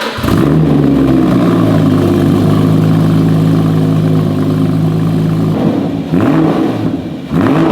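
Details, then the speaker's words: Rebuilt Porsche GT4 track-car project, first start with a new exhaust fitted; engine fires and settles into a deep, even burble, with a rising rev and a clean drop back; healthy start with no knocks. "That sounds real good, doesn't it?"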